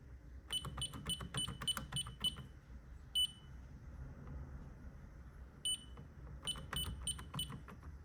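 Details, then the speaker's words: Ademco 6139 keypads on a Vista 10SE alarm panel powering up: bursts of about six quick, high, evenly spaced beeps, pauses, then more; normal start-up beeping, though loose wire nuts are suspected in the setup. "I can still hear it beeping, bro."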